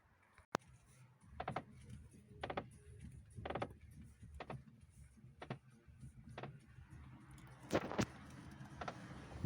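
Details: Lada Priora, right front strut top, after hitting a rut: turning the wheel at standstill in a quiet garage gives short dry crunches and creaks about once a second; strut and bearing checked, owner suspects body/strut tower movement.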